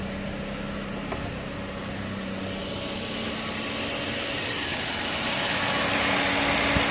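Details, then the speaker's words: Car engine just started, idling with radiator fan (motor fan) switched on auto to check it runs; steady even idle with fan whoosh building, no knocks; fan working, everything running smoothly, safe to use. "motor fan dia hidup guys. Jadi semua dah berjalan dengan lancar."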